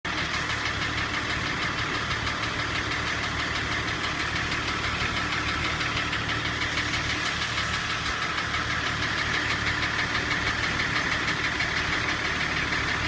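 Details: BMW M51 diesel engine running: steady, fairly even knocking at roughly three beats a second over the engine sound. Engine knock, cause unknown.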